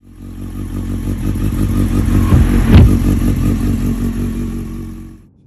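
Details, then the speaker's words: 1993 Honda CBR900RR, engine running: random misfire, idle won't hold and surges up and down; uneven stumbling note. Cause: aftermarket spark plug caps with major resistance failure (OEM spec 5 kΩ); fix with OEM caps. "one of the most nagging issues that I had with this motorcycle was that it would always have a just a random misfire all the time and it wouldn't idle correctly the idle would just go up and down all the time"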